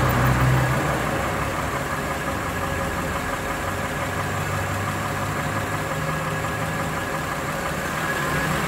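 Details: Warm Lexus RX330 with 3MZ-FE V6, revs varied around 1,000-3,000 rpm; rough irregular knock about three or four per second under the running noise, owner unsure of cause, asks if piston knock.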